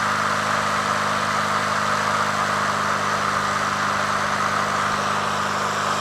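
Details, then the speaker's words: Honda HRT216 push mower at lowest idle after carburetor cleaning, which earlier surged at low idle: steady even low idle, constant tone, no surging or hunting; fixed, normal idle. "See here, we're at the lowest idle now, right? Purrs like a kitten, man. Just so smooth, you know?"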